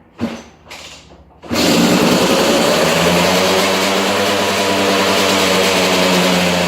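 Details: 2002 KTM 200 EXC two-stroke, first start after a top-end rebuild: after a couple of kicks it fires and holds a steady, crisp buzz with even pitch; the engine runs healthy.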